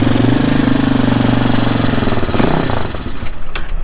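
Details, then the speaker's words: New Hawk 250 Chinese enduro dirt bike, first start after assembly, smoky: the single cylinder thumps unevenly, stumbles and fades, and dies after about 2.5 seconds. Rough running; it needs a carburetor adjustment (suspected, not confirmed). "needs an adjustment on the carburetor"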